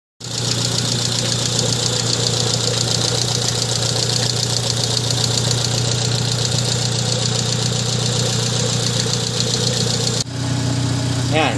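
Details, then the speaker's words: 2002 Honda Civic petrol engine idling after valve clearance adjustment: smooth, steady hum with no ticking or clicking from the top end; normal idle. "na yung tunog niya guys ay wala na siyang clicking sound o parang lumalag tik kailangan na guys"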